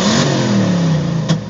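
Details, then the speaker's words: Cammed LT1 V8: at wide-open throttle it revs very slowly, holding a flat drone, then pops and stumbles with a misfire; fuel pressure 41 psi at idle, vacuum steady 16 inHg, new fuel and air filters, pedal pushes back. "very very slow to to rev and the car feels I mean it still has power but it still it feels very sluggish as opposed to to usual"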